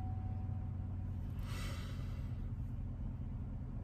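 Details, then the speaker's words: 2014 Silverado V8 idling after its tune was returned to stock to check whether a cylinder misfire went away: a deep, steady, even burble with no stumble; engine running normally at idle. "truck's still getting to idle yeah she's running normally now"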